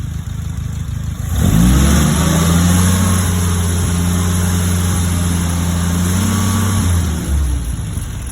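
Engine catches, flares, then settles to a low idle with a slight uneven pulse of about four beats per second: rough idle. Cause suspected, not confirmed.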